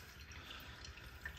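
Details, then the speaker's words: Normal drain gurgle from a QFlow 2.5 kg mini washer (700 rpm spin): soft, irregular watery gurgling as the last of the water runs out of the tub after the machine pauses to make sure it has drained. "that's you can just hear the rest of the tub gurgling out"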